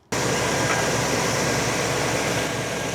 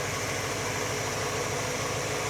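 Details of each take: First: Engine with distributor vacuum advance switched from ported to full manifold vacuum: fires and settles into a fast, even idle a little over 850 rpm, about 200 rpm higher, AFR a little rich. High idle speed. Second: Warm V8 idling smooth and even with a steady low burble and some hiss on top, after vacuum advance change raised idle about 200 rpm and AFR was leaned from rich; idle and mixture sound properly set.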